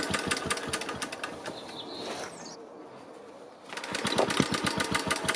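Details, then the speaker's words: BSA 300 W ex-military generator (Chore Horse copy), pull-start with choke out, charging set off, flexible exhaust fitted, magneto coil secondary open circuit: cranking with a few soft, muffled firing puffs that never run; weak spark, owner suspects ignition timing. "noticed that the engine did fire on a few of those attempts and it did that many more times when the camera wasn't rolling but in each case it sounded pretty muted like the spark was too"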